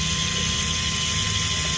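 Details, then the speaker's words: 2015 Ford Ecosport parked: steady high whir without a break as the ABS pump motor runs continuously; pump shorted after a high-voltage event, needs servicing or replacement. "saya mau rekam tuh ya terdengar di sini suaranya pompa ABS nyala terus oke"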